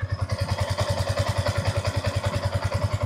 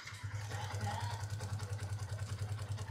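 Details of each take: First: Yamaha Y15 single-cylinder motorcycle, 14,597 mileage, after basic top set (valve clearance adjustment) fixing loud tappet ticking: even low thump about 3.5 beats per second, no ticking on top; quiet normal idle after repair. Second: Y15 motorcycle at 14,597 mileage, left idling with no throttle before a top set: quick, evenly spaced light ticks over a low steady idle hum; loud tappet noise from loose valve clearance.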